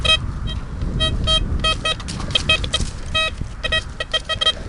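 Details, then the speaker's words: Blisstool v3 metal detector with a DD coil on a ploughed field, gain at a medium setting: beeps come through choppy and broken rather than as one clean tone, so the signal is breaking up and losing grip on the target; best to get away from it. "Breaking up, guys, that's no good. Can you hear it breaking up? I'm getting away from that."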